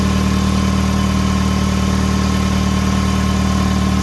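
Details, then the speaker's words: 2005 Hyundai Tucson GL 2WD at idle right after replacing catalytic converter, exhaust manifold and O2 sensors, listening for leaks: smooth, even idle, no ticking or puffing; sounds normal, though a small leak low down is suspected. "now the next thing we do is we start it up and we listen for leaks"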